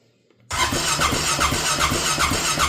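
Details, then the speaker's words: Rincon 650 ATV after rebuild, carb fitted, straight pipe: starter cranks steadily with a chirping squeal about four times a second but never fires; no spark because the spark plug cap was off. "I got no sock. I got no Oh, no. That's why I got no sock. It's not on there."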